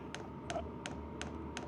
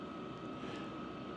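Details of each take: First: Vevor Chinese diesel heater priming with a hard rubbery silicone cover fitted over the fuel pump: sharp evenly spaced ticks about three per second; cover did nothing, seems louder as ticking reverberates through the hard shell. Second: Vevor Chinese diesel heater running at full heat (222° inside) after sound-dampening mods: soft steady blower hum, no fuel pump ticking audible; as quiet as this heater gets, blower remains the main noise.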